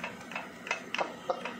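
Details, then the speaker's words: Yamaha WR 155 engine disassembled, bare connecting rod rocked by hand. Sharp dry ticks, about five in under two seconds, show big-end free play. In running, such play knocks "tek tek" at medium throttle and fades at high revs. "diketok gini aja bunyi, apalagi di Nah, ciri-cirinya kalau ini kocak itu gini, gas sedang. Jadi per per gitu. Kalau tinggi hilang dia malah, tapi pas wer wer dia tek tek tek tek."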